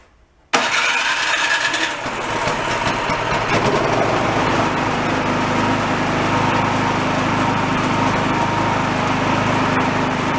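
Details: $40 yard-sale two-stage snowblower after cleaning out debris, started on choke: catches at once and settles into a steady, even buzzing run with no surging.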